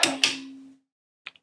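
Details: Vox AC15C2 guitar amp that came in howling and whistling, with microphonic output tubes. Power switch clacks off and a short metallic ring hangs on through the tubes and fades within a second. Fixed with new tubes.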